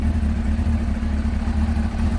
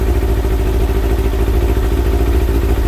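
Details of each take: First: Kawasaki ZX6R J2 inline-four after carb rebuild with new main jets, needle clips adjusted and carbs balanced, warm at 44 degrees, idle set slightly below the specified 1300 rpm: quick even idle pulse, steady hum, no misses or rattles; normal idle. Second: Kawasaki ZX6R J2 inline-four warming up, at 55, after new main jets and needle clip change, carbs checked with Carbtune Pro: loud, lumpy slightly uneven idle about three pulses a second with clatter; carburettors out of balance before synchronising.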